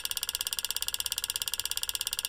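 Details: GM 3.6 LLT V6 EVAP purge valve solenoid commanded by scan tool at increasing duty cycle (9–99%): fast sharp ticking; valve confirmed bad by vacuum test, with P0442, louder clicking than new replacement.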